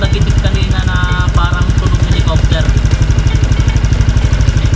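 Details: Honda Click 160 scooter at idle after replacing the cam chain tensioner (lifter) with a new one: steady, even putter with no ticking or clatter on top; earlier ticking gone, quiet and healthy.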